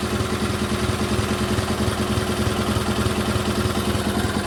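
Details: GT/18 twin after ignition rebuild: steady even putter about three beats a second, no misses or rattles; runs better than before, carburetor still needs tuning.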